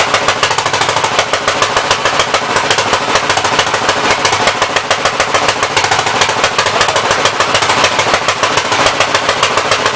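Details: 1964 Gravely L tractor, long unused, with a poor carburetor whose main jet adjuster is stuck: fast, uneven popping and stumbling; rough running, owner believes it is flooding and running rich.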